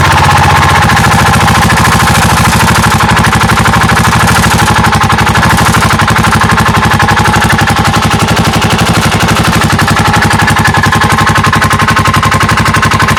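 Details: Yamaha Majesty SG03J scooter, scraping noise that began suddenly while riding: steady idle carrying a regular rubbing tick about four times a second with a rasping edge; engine scraping noise, source unknown.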